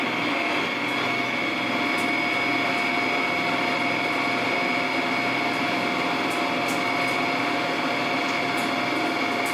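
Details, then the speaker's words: Precision Matthews 1440TL metal lathe taking a 200 thou cut; steady whirring drone with constant whine and light chip ticks, lathe working harder but not straining; normal heavy cut, sound used to judge depth of cut. "We'll go ahead and take 200 off this time. You'll hear the lathe work a little bit more. And that's what you're listening for with your own machine to help you determine what's a good depth of cut that you're going to be able to take."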